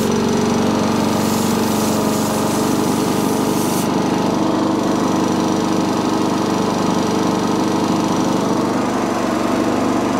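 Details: Sovereign lawnmower engine with dislodged governor spring, still not revving high after cleaning gunk and grime; steady but slow, lazy running that never comes up to full speed.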